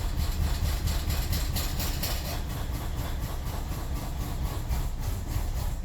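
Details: 2003 BMW 745Li E66 that misfires then dies after new spark plugs and ignition coils: uneven lumpy idle, irregular pulses about twice a second over a deep rumble; camshaft position sensor codes and misfire fuel cutoff on cylinders 8,3,7,6,4; cam sensors next.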